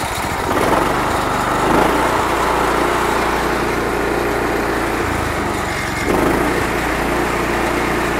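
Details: 2004 Country Clipper Jazee mower: start catches quickly and settles into an even, steady buzz with no misses or knocks; sounds healthy, slightly squeaky.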